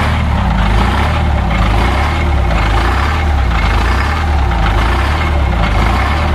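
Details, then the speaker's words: The 853 diesel on its first start in almost two years, cold (block 24°, no block heater). Heavy, slightly lumpy low idle with a slow sag about once a second. Owner suspects the fuel linkage is set low, since slight pedal pressure holds 600 rpm. Low idle. "I think the fuel linkage must be set a little low cuz with just a little bit of pressure from my foot the uh idle is holding very nice right at 600"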